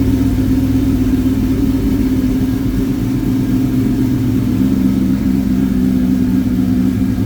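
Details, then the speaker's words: 2003 Ford SVT Cobra Terminator, V8 with a Whipple 3-liter supercharger, aftermarket pulley, American Racing headers and Bassani exhaust: steady, even idle with a faint constant supercharger whine, louder than Ryan's; sounds healthy. "And his supercharger does whine a little more than Ryan, so I'm not sure. When I was first starting it up, you could hear it whining a little bit. It sounded really good."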